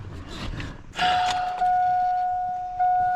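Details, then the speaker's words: Duramax diesel just after a fuel filter change: AirDog lift pump priming fuel up to the filter before cranking; a few clicks, then a steady, clean electric whine holding its pitch; normal fuel lift pump priming. "there's my good old air dog pump pumping fuel up to the filter"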